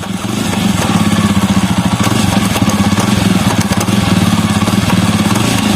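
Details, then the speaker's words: Jawa Perak with engine running, in gear: fast even khat-khat clatter from chain sprocket; loose rear sprocket nuts, fixed by tightening with 6 mm Allen key. "चलिए देखते हैं क्या चीज का chain sprocket में एक sound आ रहा है, गियर देने के बाद खट खट खट खट साउंड आ रहा है।"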